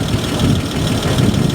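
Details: Abandoned 1949 Dodge truck flathead six, heads pulled in the field, running with no belts hooked up and no cooling. Low, even idle with steady firing and no tapping or knocking; runs smoothly. Normal idle.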